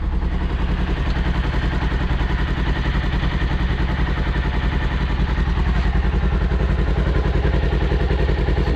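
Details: 2021 Polaris Ranger 1000 fired up briefly right after an oil change to circulate the new oil, filled 2 of 2.5 quarts, no drips: even, regular low thumping idle, about 3.5 beats a second, no knocks or ticks; normal idle.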